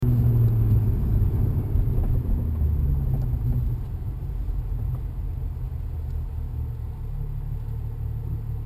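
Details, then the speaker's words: Rough idle and stall on a BMW N55 engine with JB4 stage 2 tune and BMS downpipe: deep uneven idle surging and stumbling, then sagging and dying; cause not found. "so now it's stalled. Yep. My question is, how can the DCT stall?"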